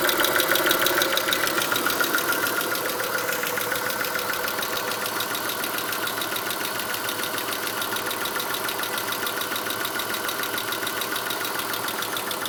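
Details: Chrysler Stratus/Cirrus 2.5L at rough idle after timing belt (Gates kit), Champion plugs gapped 1mm, and upper intake/EGR gaskets replaced; P/S belt not yet installed; right camshaft slipped 1/4 turn during belt install; fast even ticking about three per second, cause uncertain.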